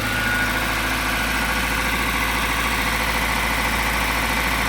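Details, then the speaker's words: 1992 Toyota Previa 2TZ-FE 5-speed manual, first start after remanufactured head replacement, coolant not yet fully bled: steady even idle, smooth low hum, no stumble or shake, normal idle. "Not shaking at all. Feels pretty good. All right, that's an initial start. Very successful."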